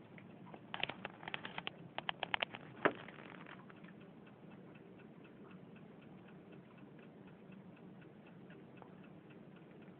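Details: TDS-8000B power supply, either PS1 (front PDB) or PS2 (rear PDB), gives a steady light ticking of a few clicks a second. The cause is unknown.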